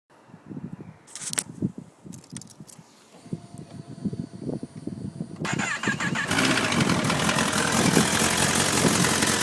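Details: 2011 Kawasaki ZX-10R, 4,000 km, starting and idling: busy idle with a light metallic rattle, also present at 4000-4500 rpm; failing cam chain tensioner, sound gone after replacement.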